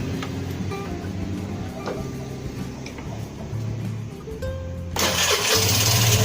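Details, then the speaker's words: Vespa Matic LX 150 scooter after fixing the electric starter fault (starter motor winding) and refitting the battery. A brief crank, then it catches right away into an even, steady idle: a clean, normal start, repeated successfully. "Oke, normal ya. Coba kita matikan lagi. Kita hidupkan. Oke ya, berhasil."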